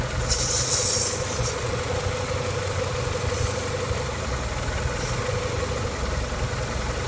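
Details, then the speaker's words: After fixing a vacuum leak found by pinching hoses, which had caused a hissing noise and P0171 lean code: an even, steady idle with a smooth low rumble and no hiss left, the engine running normally. "No more hissing noise, and no more PO171 lean."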